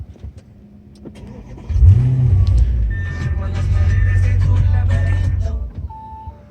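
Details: Audi S7 that wouldn't start even on the original key after attempting to make a new key, started after battery disconnect/reset; short crank, catches at about two seconds, smooth even idle; normal engine start.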